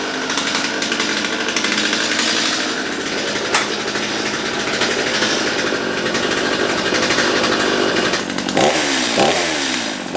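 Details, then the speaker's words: Restored Stihl MS211 chainsaw after sharpening: steady high-revving two-stroke buzz holds even without stumbling or surging; running smoothly. "well i'd say that's a success what do you think"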